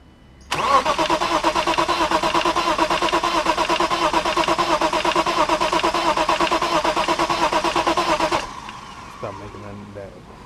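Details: BMW 325is cranking with a steady starter whirr, about three beats a second, for eight seconds and never catching, while the fuel pump fuse is being checked; pistons are mentioned as a possible cause. Cranks but won't start.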